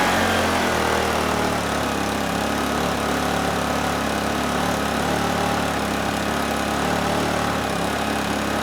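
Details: Honeywell HW2000i 2000-watt inverter generator, circa 2002, hard starter: steady, buzzy run with no hunting or surging; once running it handles 1500 W with rock-solid hertz and voltage, so carburetor not suspected.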